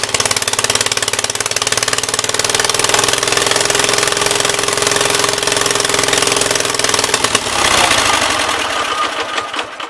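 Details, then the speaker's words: 1976 Gravely 816 with a faulty choke: rough, loaded-up firing runs a few seconds, then sputters and dies as the choke slams fully closed and chokes it out; owner still suspects a problem on the left-hand side. "This choke not working is really cramping my style. This air just went full on and choked it out."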